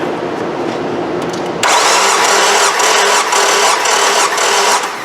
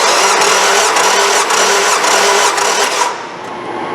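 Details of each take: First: 2003 Nissan Altima 2.5 with a P0301 misfire, compression test at wide open throttle: starter cranks at a steady, even beat near four pulses a second, and this cylinder reads about 145 psi, a little shy of 150; normal compression. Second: 2003 Nissan Altima 2.5 with a P0301 misfire, compression test at wide open throttle: steady rapid cranking at about four beats a second, and this cylinder reads only about 110 psi against an expected ~154; low compression.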